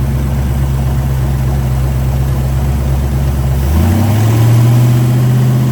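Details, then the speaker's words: 1941 Willys hot rod with V8 and factory GM rubber balancer, mixture possibly a little rich: low lumpy idle pulsing about four a second, then lazy climb in revs, flat and weak; timing suspected, balancer mark reads 60°, possibly slipped. "But it revved out a little more that time, but it feels like it's a dog. It's not It's not pulling as hard as it should."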